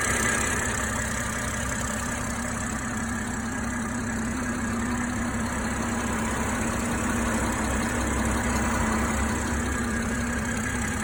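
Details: BMW M340i direct-injection engine at idle: steady even idle with fast light ticking about four per second from the 350 bar high-pressure fuel pump; normal pump sound.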